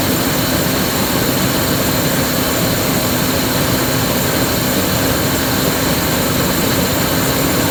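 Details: 2001 Ford F-150 5.4 2V Triton petrol engine: loud hissing, air-sucking whoosh over a rough, labouring idle that sags toward stalling and sounds starved of air; cause not found.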